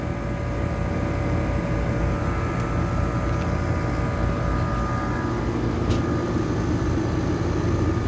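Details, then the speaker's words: HVAC condenser unit after repairing a burnt wire connection that kept the compressor from starting: steady compressor hum with constant fan whoosh, no clicking or chattering; unit running normally and cooling again. System also low on refrigerant. "yep she cooling she cooling that's what it was don't let a bad connection CA you to misdiagnosed like I almost"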